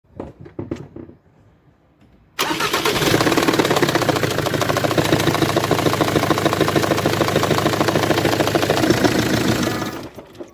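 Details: Jaguar X-Type 2.0d, Ford diesel engine: cranks and catches, then rough clattering idle with a steady beat; engine noise from a heavily damaged cylinder head that must be replaced.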